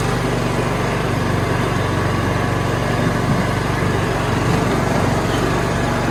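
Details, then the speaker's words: Kohler Courage engine on a Craftsman YS4500 riding mower, idling after a start with a loose valve cover and iffy-coloured oil: uneven, slightly rapping beat around four pulses a second; possible engine knock suspected, not confirmed. "I could be wrong and I could have just been over excited but I thought I heard the engine knocking a bit so going to have to listen for that a little bit"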